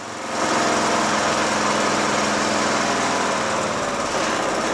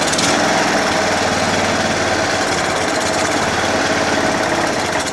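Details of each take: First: John Deere L100 lawn tractor single-cylinder engine at low throttle after carburetor clean and blowing out the fuel mixture screw: steady, even idle with no hunting, surging fixed; normal idle. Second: John Deere L100 lawn tractor single-cylinder engine, after carburettor cleaning, on choke at first start: harsh, busy clatter that sags and recovers around six seconds; idle surging, then shuts off by itself, from a clogged fuel-mixture screw passage.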